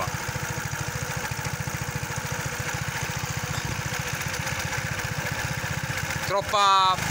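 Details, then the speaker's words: Kymco 125 fuel-injected scooter, fuel pump audibly working: uneven, lumpy single-cylinder idle at about three and a half pulses a second that will not accelerate properly; owner blames the engine ECU and suspects a mixture problem, with no jets to adjust. "fa strano ma va malissimo"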